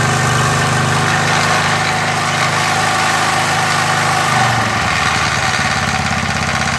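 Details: MTD edger with 3.5 hp Briggs engine that had been sitting non-running, after repair: single-cylinder buzzes along steadily at raised RPM, then settles to a lower even run; no stumbling, sounds healthy.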